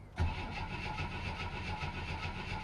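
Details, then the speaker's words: 1964 Chevy II with points ignition and automatic choke, sat for years: starter spins the engine at an even churning rhythm but it never fires; a screwdriver test at the coil wire shows no spark. "all right now I'm going to pull this coil wire off and I'm going to stick a screwdriver in it and we're going to check for for spark no spark so the next logical thing to do on this old points style ignition is to pull the distributor cap off and clean the points"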